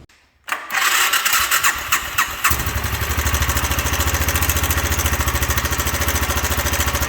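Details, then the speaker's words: 1997 Suzuki 650 Savage single, before the timing chain tensioner mod: at idle, a loose metallic clanging and clatter rides on every beat. Suspected timing chain rattle from a faulty tensioner and guide. "if you if you hear that it kind of sounds like something's clanging around in there valve timing chain"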